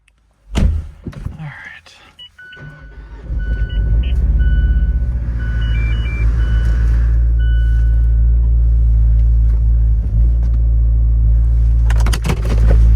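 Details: Fiat 124 Lusso (MultiAir), cold start when brought out for the season: starter whirs, engine fires and settles into a deep idle, slightly uneven at first. A normal cold-start stumble.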